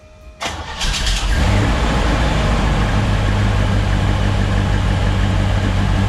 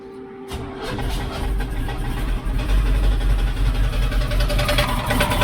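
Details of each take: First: 1972 C10 shop truck V8 after cutting away an inspection plate piece that caused a bell-housing knock; cranks, catches quickly and settles into a steady, even idle with no knocking. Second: 1972 Chevrolet C10 V8 first start after install; rough idle with hard rapid metallic knocking in the bell housing, feared bottom end damage but caused by inspection plate contacting the flexplate.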